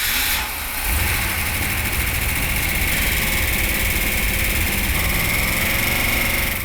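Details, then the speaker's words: 1971 Dodge Demon, 340 Six Pack V8, 4-speed, after resealing a manifold leak: freshly started V8, slightly rough at first, settles into a steady, even idle with no knocks or misses. Quiets once warm, no leaks; normal idle. "sounds good so far that's great no leaks no leaks okay so the engine sounded really good they all rout a little bit when they first start out but it didn't take long to quiet down once it warmed up it ran great"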